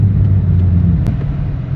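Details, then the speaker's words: Hyundai Genesis Coupe 3.5 L V6 driving after muffler replacement: deep, smooth low rumble with no rasp, drone or rattle; full but not overwhelming, power intact, drives better. "he still got that nice little 30y feeling to it but it's not overwhelming there plenty of power still sh I think it drives better"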